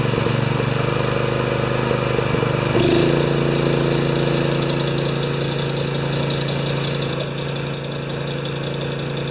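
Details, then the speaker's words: Honda-powered wheelbarrow air compressor No. 3, revived after sitting for years, with a poor carburetor idle. It runs steady with a constant high squeak on top; the owner suspects the newly fitted V-belt has a different profile, cause unconfirmed. "So it does everything it's supposed to do. Now I just have to tinker with the imperfections, like that noisy belt and this."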